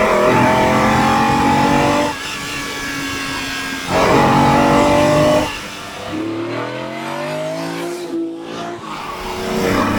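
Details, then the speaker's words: Ferrari 365GTB/4 Daytona Spider V12 on a road test after being fixed, pulling hard under acceleration; strong, even note climbing cleanly between shifts with no missing beats, so all cylinders are firing. Normal acceleration. "it looks beautiful and uh it speaks to you standing still this car it says love me admire my beauty then you do this and it takes on a whole different character"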